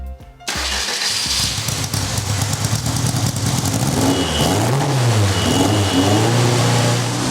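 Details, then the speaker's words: Van Diemen RF85 race car test start after rear-end reassembly and a new muffler; the carburetor may need work and a rebuild is planned; the engine catches, then its pitch wanders up and down and won't settle; unsteady idle from a leaking carburetor. "But you'll notice I might have to work a bit on the carburetor."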